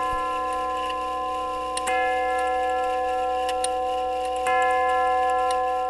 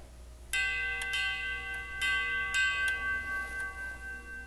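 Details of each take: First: Grandfather clock tube gong movement, steady even tick with two ringing chime strikes that sustain and fade; after hammer refurbish for worn leather pads, running and striking normally. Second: Grandfather clock tube gong struck with hard pencil eraser (testing hardened hammer leather pads): sharp tinny strikes with bright high-frequency tingle from pipe resonance; hard hammer leathers need replacing.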